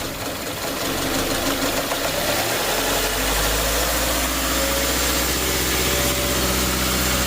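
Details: 2012–2018 Subaru Forester 2.5 non-turbo after replacing accessory belt, idler and tensioner: engine catches and settles into steady even idle with no squeal or chirp; belt drive quiet.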